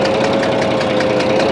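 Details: Bizon A-01 diesel at idle: rhythmic dull knocks about five a second over a rough idle; it reacts to loosening the third injector's high-pressure line, and the owner suspects the first head needs removing, cause unconfirmed.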